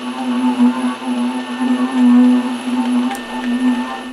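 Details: Lathe threading the ER40 side of an ER40-to-5C adapter: steady low hum wavering in loudness as the tool shaves the tops of earlier chatter marks, not new chatter.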